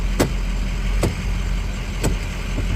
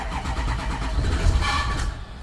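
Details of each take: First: 2008 Ford E350 6.0 Powerstroke diesel just after secondary fuel filter replacement: steady, even idle with deep unchanging drone, no misses or surging; normal idle. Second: 2008 Ford E350 6.0 Powerstroke diesel, starting after secondary fuel filter replacement and four 30-second primes: turns over and catches with heavy low rumble and brief odd roughness; owner suspects stuff sprayed into air intake caused the noise, then it runs.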